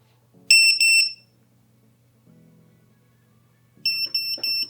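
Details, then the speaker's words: FPV drone standalone lost-drone buzzer (5 V, ground) activated after battery unplugged: shrill high beeps in two quick bursts, about three pulses per second, clean and loud; works very well. "Ok, j'ai désactivé, c'est bon, le buzzer autonome fonctionne très bien."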